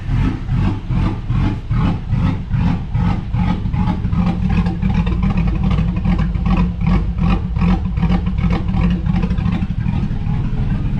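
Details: GMC Sierra 5.3 V8 after a bad-lifter repair with a BTR Truck Norris cam and LS7 lifters, not yet tuned. Repeated blips at two to three a second rise and fall cleanly with a deep, even note and no ticking; runs healthy.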